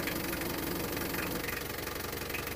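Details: Isuzu Panther 2.3 diesel, around 1995, idling on test after repair: a steady diesel idle with even clatter and no odd beats or rattles; the engine sounds healthy.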